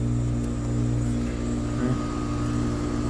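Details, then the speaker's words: Outdoor AC/heat pump condenser unit switched on: loud steady hum while the fan motor stays stalled, starting only when pushed; caused by a failed run capacitor, fixed by replacement. "can hear the humming but the fan is not running and do that it doesn't run"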